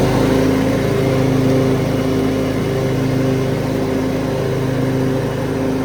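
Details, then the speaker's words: 2003 Craftsman (AYP) DYT4000 hydro riding tractor with electric PTO and 48-inch deck, picked up free: steady, even drone at constant speed with no knocks, misses or surging; runs healthy. "So other than that, it's good. It's a good tractor. It's a good machine overall."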